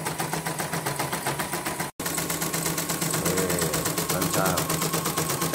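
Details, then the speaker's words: CNY embroidery machine after a full teardown and cleaning to free the seized shaft (as), running before the cover is refitted. Fast, even ticking of the needle mechanism at a steady rate with no binding or knocks. Normal running. "Ini udah selesai yang apa namanya asnya macet itu, bongkar total tadi ya."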